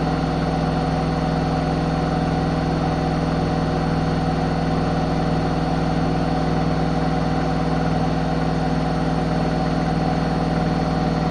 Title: Zanussi ZWH7148P knocking noise